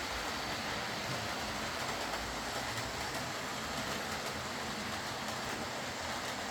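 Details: Old Lima Class 40 model locomotive in BR green, after repair with a completely replaced motorised chassis (original front bogie faulty, wouldn't run): soft steady hiss and whir, no knocking, grinding or stutter while rolling; quiet, normal smooth running.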